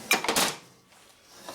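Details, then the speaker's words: 1967 Harley-Davidson 74ci Shovelhead FLH during transmission assembly: a burst of sharp quick clicks as kick starter ratchet pops over while shaft is held; normal ratchet clicking. "when you hold the shelf the ratchet just pops pop and that's what that noise is okay looks good"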